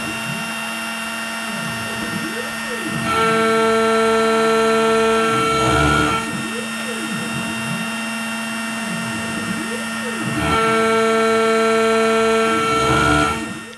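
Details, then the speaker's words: OpenBuilds MiniMill CNC router before upgrades on a very shallow, conservative aluminum cut: steady spindle whine with a strained singing ring on each pass; the light machine chatters even at shallow depth. "This is an even more conservative cut, so I don't remember what exactly the axial depth of cut here is, but it's pretty thin. And you can still hear it's not happy, but it's doing it."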